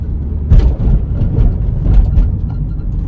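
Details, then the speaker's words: 2008 Honda Civic with a recently replaced clutch, pulling away in second gear: low engine drone with dull "tum, tum" thumps as the clutch bites; the mechanic found a damaged upper engine mount letting the engine rock. "Não sei se deu pra vocês perceberem, mas fez um barulhão, fez tum, tum. Faz um barulho muito estranho. É um barulho justamente do coxim superior do motor."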